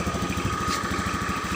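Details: 2014 Honda Beat injection scooter, repaired for sputtering and stalling caused by a broken charging-coil wire (injector also previously dirty), idles with a quick, even putter and faint steady whine, no misses. Runs smoothly and healthily.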